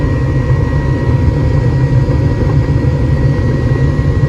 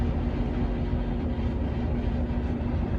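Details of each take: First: Home gas furnace, checked for a suspected bad igniter after it was shutting off before heating: after igniter glows and gas valve clicks open, burners lit; steady low roar with faint even hum, blower running normally, no rattles. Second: Furnace: blower runs with steady low rumble but no igniter or burner light-off after igniter check; fails to start, later found caused by clogged pressure switch hose.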